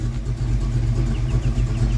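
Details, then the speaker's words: 1982 Ford Mustang GT with '90s short-tube headers and H-pipe, heard from the rear after header reinstall fixing a driver-side exhaust leak: deep, smooth rumble under light throttle, no loud ticking; only very slight ticking remains up close. "all right from back here the car sounds normal no more loud ticking give it a little gas Chris all right yep no more loud knocking ticking from that huge exhaust"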